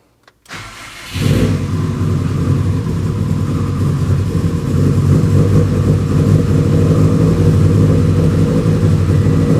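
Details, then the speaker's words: Subaru WRX with a fully built engine that jumped timing, suspected skipped tensioner; timing rechecked after repair. It cranks, catches, then idles loud and uneven with a lumpy, irregular beat. Rough running at start, cause unclear. "So, when we started it, it was a little rough at start. I don't know why that would be, but I just triple checked timing again."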